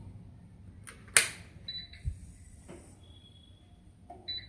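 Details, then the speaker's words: Havells BLDC ceiling fan that takes long to start or won't turn: on switch-on, a few short high beeps with faint clicks and no motor hum building, only slight back-and-forth movement. BLDC fan controller fault. "ఇది sound వచ్చి cake cake మని sound వస్తుంది. అంతేగాని ఏ విధమైనటువంటి response అనేది లేదు"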